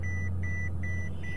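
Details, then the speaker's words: Copart all-wheel-drive car with 159,000 miles, nearly out of fuel, just started: four even mid-pitched beeps sound over a quiet idle as an air ride malfunction warning appears immediately on startup; the AC seems to work. "all right so air ride mallu function immediately on startup ac seems to work"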